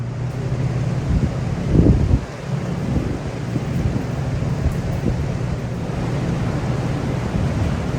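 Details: New Powerhaus 2110cc air-cooled VW flat-four, upgraded heads, dual 44 carburetors, for a 1966 bus, on dyno after valve adjustment, warmed up: deep steady rumble holding even under load, no tapping or uneven beat; normal running.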